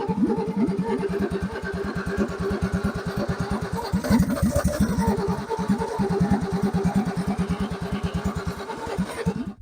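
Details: Ford XP Falcon sitting about 35 years: steady cranking at about three beats a second for nearly ten seconds, no catch; cause not confirmed.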